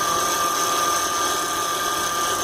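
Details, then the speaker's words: 2003 Acura MDX engine running while steering, before repair: steady high power steering pump whine, fluid bubbling in reservoir from air in line and spitting out at shutdown; cause found as worn reservoir hose O-ring 91345-RDA-A01. "Making bubbles in the bottle. It looks like there is air in the line."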